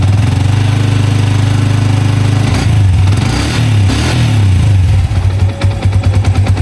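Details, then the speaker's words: Yamaha Vixion single-cylinder engine idling then blipped: the valve-area pinging is now gone, but a faint light knock ("ngelotok") remains under the exhaust; suspected to come from the clutch, not confirmed. "Nah ini terdengar suaranya masih agak ngelotok ya, itu bisa disebabkan dari bagian kopling juga."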